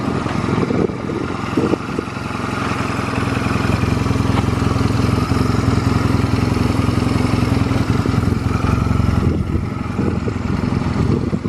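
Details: Stored Honda Rebel 250 Special (MC13) motorcycle at a start-up check, idling with an even, steady putter and no knocks, ticks or rattles. Normal idle, no abnormal engine noise.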